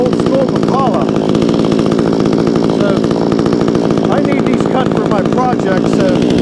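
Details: Vevor 20-inch gas chainsaw with manual choke and no primer bulb, just started with choke off, cutting 4x4: fast, even two-stroke buzz holding strong pitch through the cut without bogging or sputtering; normal running under load.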